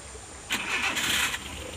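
Quick crank catches cleanly and settles into an even idle with no stumble or miss; engine running normally.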